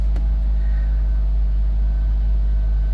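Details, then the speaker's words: 2007 Nissan Versa after fuel pump replacement (assembly with built-in pressure regulator, replaced for hesitant cold starts): low, even idle rumble with a steady beat and no pump whine; the new pump is inaudible where the old one could be heard, suggesting it was failing. Normal idle. "well it appears to be working man i could hear the old pump i couldn't hear this i can't hear this one so i guess that old one was going out"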